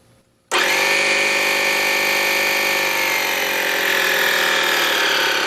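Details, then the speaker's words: Air compressor, loud brushed universal motor, tank nearly full, started at high then cranked to lowest on BN-LINK plug-in variable fan speed controller until pressure switch tripped; loud high steady whine sagging slightly under strain; controller stayed cool. "indeed it did this I know has a brushed motor in it because you can hear how loud it is uh there's a lot of things making a lot of noise in this thing"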